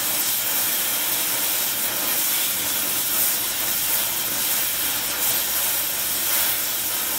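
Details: Oxy-acetylene welding via small mixer torch on Air Products Integra cylinders with built-in regulators and flashback-arrestor quick connects; trying to set 4 psi on a 380 psi gauge. Steady even roaring hiss, no popping or sputter; normal smooth flame.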